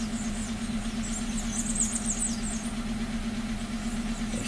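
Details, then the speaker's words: 2015 Hyundai Accent with codes P0335 and P2188, dead tachometer, stalling, loss of power and running rich, left overnight: petrol engine idles with an uneven, lumpy pulse, running rough like a misfire though no misfire counts are shown. "this vehicle is running rough it's making noise like you know like a like you got an issue or something like that like if uh you got misfire"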